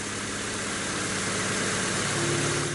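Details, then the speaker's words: 1998 Honda Civic, after arriving on a tow truck: fuel injectors cleaned, new iridium spark plugs, sump, fresh oil and filter. First start gives a steady, even idle with no ticking from the valve cover. Engine sounds healthy and settled. "Ó. Está aí, ó, funcionando. Ó, não bateu válvula. Não bateu válvula."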